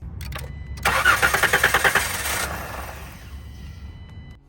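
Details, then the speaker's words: 2017 Dodge Caravan with code P0204, a cylinder 4 injector misfire: with both fuel fuses pulled to flush fuel before removing the fuel rail, the starter spins it in a fast, even rhythm but it never catches. "All right, that's it. It's not gonna turn over, it's not gonna run because we basically pulled the fuses for all the fuel."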